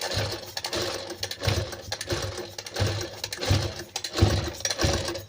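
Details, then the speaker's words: Sewing machine run at speed, quiet when slow: uneven clattering knocks about one and a half per second as the needle strikes the shuttle and the mechanism runs dry. "Machine को हम चलाते हैं तो यह machine आवाज कर रही बहुत काफी स्लो चला रहे हैं तो उतना आवाज नहीं कर रहा है लेकिन मशीन को हम स्पीड में चलाते हैं तो ये मशीन आवाज कर रही"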